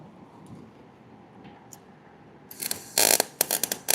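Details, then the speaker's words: 110 V gas MIG welder set on D: choppy, sputtering crackle bursts with no steady sizzle, unstable arc; welder suspects wire feeding too fast or a wrong setting. "I feel like that's coming out too fast. That can't be right. Something's not I know I've got it screwed up somehow. That's not right."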